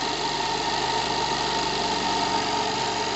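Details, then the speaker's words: Single-acting twin-cylinder high-speed live-steam engine at 3–4 bar, re-accelerated after slowing: fast, even exhaust beat over a steady hiss with a thin whistle, no stumbling, no torque problem, running freely. Normal running. "Ah non, j'ai aucun problème de couple. Donc, cette machine magnifique, écoutez sa vitesse, parce que ne regardez pas le mouvement, il est faux, mais écoutez la vitesse."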